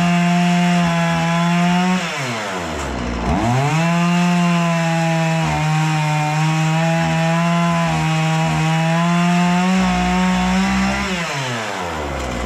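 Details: Husqvarna 236 chainsaw after carburetor removal, service and adjustment for stalling when the throttle was released, test-cutting wood: crisp, high, steady two-stroke buzz that sags briefly as it bites and recovers cleanly.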